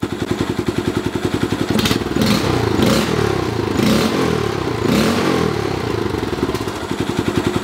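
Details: 2015 Honda Grom with custom exhaust and intake, previously backfiring, sputtering and dying at idle; after spark plug check, gap and refit, the single-cylinder engine holds a steady, even idle with a few light throttle blips.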